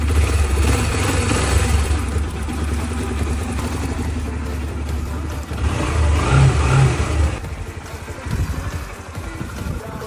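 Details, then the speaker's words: Motorcycle engine after replacing the loose, rattling timing chain and resetting the tensioner; revs up and settles with smooth even exhaust note, no chain rattle or slap; noticeably quieter after repair. "换了链条之后，是不是感觉安静一点了？"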